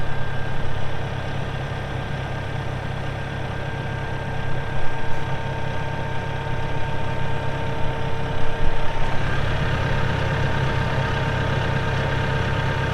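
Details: 2014 Massey Ferguson 1754 tractor, 53.6 hp diesel, only 173 hours: steady, even diesel idle with a low, consistent chug and no knocks or misses; healthy normal idle.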